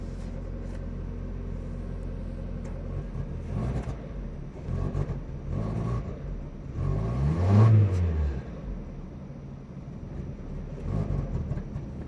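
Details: 1990 Mazda MX-5 NA 1.6 petrol engine at idle: uneven rumble surging up and down with an irregular, stumbling misfire beat.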